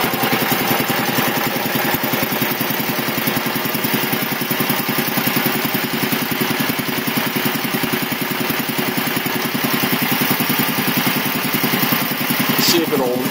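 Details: 1975 Quincy QR 325 compressor on a GE 5HP single-phase TEFC motor with a smaller pulley, pump at 621 rpm, running under load while building tank pressure; fast, even chuffing beat with no knocking or uneven strokes. Normal running.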